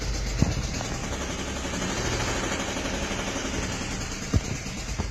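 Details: Renault Logan three-cylinder engine at idle: rough rumble with a few irregular sharp knocks; source of the noise unclear.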